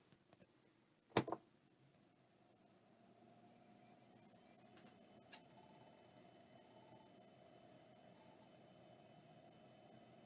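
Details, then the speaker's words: Conner Technology CT210 (ExcelStor) 10 GB hard drive on first power-up: sharp click, then a soft steady whir and faint hiss that build and settle; normal spin-up, full testing on a computer still to come. "that sure seems like it worked I have to plug it into the computer later to see if anything else works but that appears to be fine"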